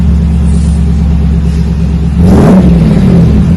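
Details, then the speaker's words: 2020 Chevrolet Silverado RST 5.3L V8 with a Magnaflow single-in single-out muffler, factory resonators removed, factory cats kept, 4-inch dual tips; low rumble at idle after the cold start settles, a quick clean rev, mellow, no drone. "got a little rumble a cold start not too bad kind of settles down see it just went through that cold start mellows it right down"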